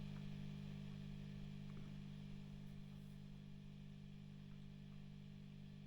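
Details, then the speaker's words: Vox AC30 JMI-era valve amp, warmed up, volume down: steady low mains hum with tones around 100–200 Hz, reduced after warm-up but still present; tremolo channel faulty, bass control suspect. "yeah so it's not hming quite as much as it was now it's warmed up but it's it's still got some backr home going on there it's just reduced a little bit so that's a problem"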